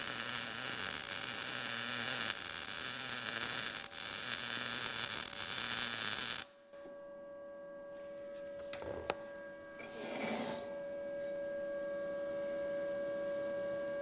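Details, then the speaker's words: Arccaptain MIG200 inverter MIG welder on an inside corner joint, retried at 19 V and 153 after the previous setting seemed slightly cold; about six seconds of even frying crackle, then a quiet hum; judged not too bad. "the Heat and the amperage are good together because you've got that bacon frying sound but I do think I could go a little bit hotter with that"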